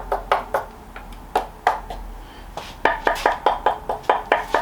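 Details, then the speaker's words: Planet X E130 used carbon frame tap test: crisp, evenly ringing taps at the same bright pitch across the tube, no dull thuds or dead spots indicating filler; frame sounds solid and uniform. "what you're looking for is any dead spots or bits that sound solid so if if that bit there sounded like that bit there I'd be getting wooded because it means there's a lot of filler in there"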